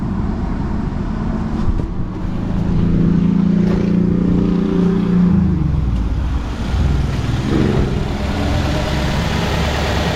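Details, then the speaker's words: 2012 Nissan Sentra with a misfire complaint, idling smoothly with an even hum after the misfires were cleared, no stumbles or skipped beats; a coil and tune-up are still recommended. "I just backed out of it and went back into it, and now all my misfires are cleared, and this thing's purring like a kitten."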